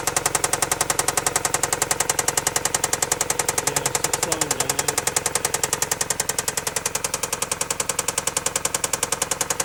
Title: Engine knock. Rod knock? Piston slap? Bent rod? NB Miata